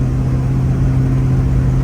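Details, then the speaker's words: 1965 Plymouth Fury III, 318 Poly V8, 3-speed 727, timing set to 8°, vacuum advance disconnected: full-throttle top-gear (third) pull with a steady deep drone and no pinging; no detonation, though not much power. "Do you hear anything? It doesn't. I don't hear it detonating at all. Seems fine."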